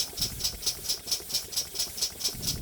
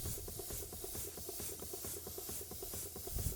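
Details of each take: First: Small steam engine being run in, still tight; crisp, even metallic ticking about four times a second over a faint rumble. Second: Bing poppit valve steam engine, Version 2: soft, even chuffing about two beats a second with a steady hiss; running smoothly.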